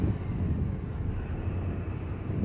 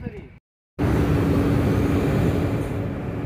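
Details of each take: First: Tata BS6 Phase 2 Cummins diesel truck that would not rev past about 1300 rpm, no fault code: deep, steady rumble held at raised revs about 2500–2600 rpm, no surging or stumble; normal free revving. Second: Tata BS6 Phase 2 Cummins diesel with no fault code: with the accelerator fully pressed it barely revs above idle and won't exceed about 1000 rpm (10 on the gauge). Fuel starvation from a kinked diesel supply line.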